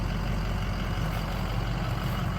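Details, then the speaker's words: Ford 6.0 Powerstroke diesel truck on a fuel mix of used engine oil and gasoline, idling. Deep, even rumble with no injector rattle or ticking; a quiet, healthy idle, the best it has ever run. "six liter diesel usually the injectors are super noisy while it runs this is the best that this truck has ever run can't hear the injectors right now they're so quiet this truck's sitting here is so quiet amazing"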